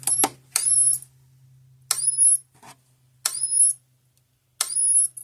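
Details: 2004 Gallagher B1200 battery fence charger, case open, repaired, on the medium or low setting: sharp snapping pulse with a high ring about every 1.4 seconds, regular and clean; the winding-up noise shortens as it charges quicker.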